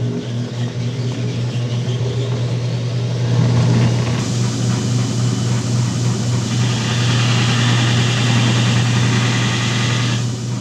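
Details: 2x72 belt grinder run after sitting unused for months, before the motor swap; steady low motor hum with an even belt hiss, no knocking or grinding; normal running.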